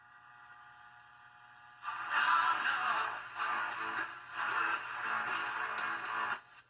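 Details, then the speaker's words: 1952 Coronado 8515a AM/FM tube table radio with a weak-reception complaint, tubes previously replaced, after the detector was tweaked, on FM with the aerial raised: music is thin and muffled over a steady hum. More sensitivity and more stations, but reception is still poor. "More sensitivity, but still isn't very clear. A lot more stations, just not very clear."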